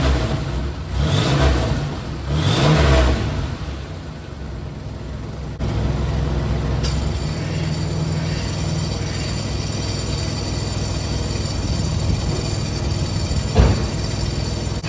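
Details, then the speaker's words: 2000 Chevrolet Camaro with a remanufactured AC compressor, AC off: a few revs then steady idle with a loose uneven rattle; compressor clutch rattles when disengaged and the noise stops when the AC is switched on. "so that got awful noise you hear right there that's the AC compressor the brand new AC compressor well brand new remand AC compressor that rattles when it's off"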